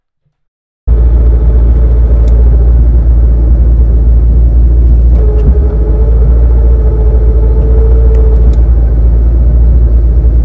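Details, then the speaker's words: 2003-2004 SVT Cobra T56 after 26-spline input shaft upgrade with shimming; steady idle in neutral with low rattling rumble that disappears with clutch pushed in and returns when released; gear rattle, suspected from input shaft/countershaft, shifting unaffected. "it's really the input shaft with the counter shaft is where this noise would be coming from so it shouldn't affect anything else with shifting"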